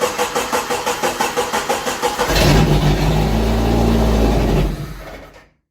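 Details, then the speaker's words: 1988 Jeep YJ abandoned for years, first start attempt: about three even cranking beats a second for two seconds, fires, runs roughly a couple seconds and dies; unknown yet whether it runs on the fuel pump. "over well that was easy sounded like but it runs it does"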